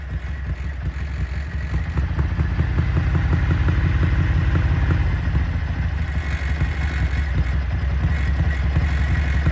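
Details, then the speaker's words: Ducati Darmah bevel V-twin, carbs synced, idling a little above 1200 rpm: with a little throttle held still, the beat climbs by itself and hangs high instead of settling; doesn't drop immediately on closing; cause suspected, not confirmed. "Then if I give it just a little bit of throttle, it starts just rising by itself. I'm not turning it."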